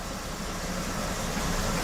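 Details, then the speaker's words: 1967 Chevy C10 V8 after engine swap idles at roughly correct speed but runs rough, smoothing only at higher rpm; owner suspected worn distributor or vacuum leak, and carb-base/intake spray test finds an intake vacuum leak. "all right it's idling at about where it should be for idle but it's so rough"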